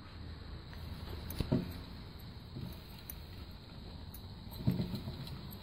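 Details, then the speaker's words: Old alternator removed from a 2002 GM truck with a charging problem, turned by hand on the workbench: a few light, irregular clicks over a quiet hiss, taken as further sign the worn alternator was failing. "Hear that little clicking? So that just further confirms that the alternator was getting ready to give up the ghost."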